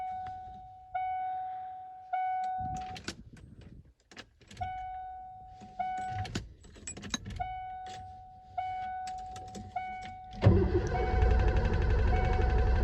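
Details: 1988 Ford F-250 EFI sat over a decade, other fuel pump reconnected: door chime, then brief even cranking with no firing; cranks but won't start.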